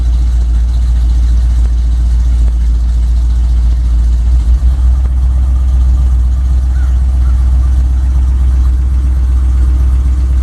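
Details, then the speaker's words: Chevy K10 pickup V8 with new carb and intake, linkage and tuning unfinished, cold start in January snow, engine still cold on fast idle: deep, smooth, steady rumble, no knocks or misses; healthy engine warming up. "it sounds like it still wants to run a little bit it is really cold so we don't have any temperature in the motor yet i'll let it run for a bit"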